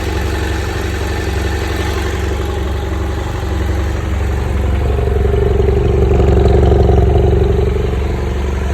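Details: BMW F800GS twin, hot engine (normal when cold): steady low-beat idle with a faint rough undertone that swells as revs rise slightly, an abnormal engine noise only when warm.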